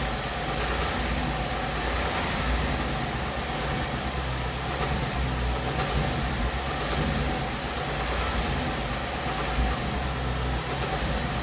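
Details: 2017 Ford Mustang GT 5.0 V8 at about 10,476 miles: even low idle with faint light ticks about once a second, in the 1000–1500 rpm range. The tick began around 7.5k miles. Ford calls it normal and the owner disputes this; source not pinned down.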